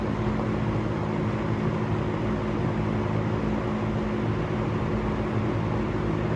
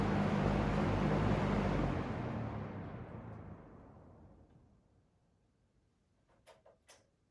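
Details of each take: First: Restored harvest-gold vintage fan (the "golden" 47) test-run on high after restoration: a steady, even motor hum with a constant low tone and no ticks, rubbing or wobble, running nicely. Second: P47 "Golden" fan in harvest gold, old unit before cleaning and motor work, slow and struggling on low, likely gummed up: abnormal spin-down, hum drops off quickly in the first seconds then coasts slowly for several more, an uneven, odd coast-down.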